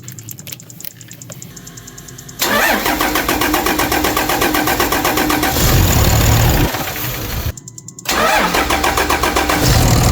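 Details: 2006 Dodge Ram 2500 5.9L Cummins diesel after replacing injectors, rail and lines and adjusting valve lash for power loss: brief starter whir, quick catch, steady even clattering idle with no stumble, no leaks, no smoke; normal start and idle.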